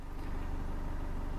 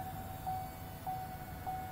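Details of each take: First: 2016 Chevrolet Colorado 2.8L Duramax diesel, about 24,000 miles, after a fuel filter change. Quiet, low diesel idle with a soft, even pulse and no rattle or knock; it sounds healthy and normal. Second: 2016 Chevrolet Colorado 2.8L Duramax diesel, about 24,000 miles. Right after a fuel filter change, the key is turned to on without starting. The lift pump gives a soft electric whir with a light tick until the system fills and the air is purged, then it settles.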